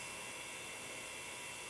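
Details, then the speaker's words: Quantum Daytona hard drive after freeing a stuck spindle: steady high whir with a faint even whine, no clicking or scraping, short seek test done without spinning down; drive running normally. "it is on it's on i don't know if you can hear it it's on it did a very short little seek test it didn't spin down oh it's so beautiful now"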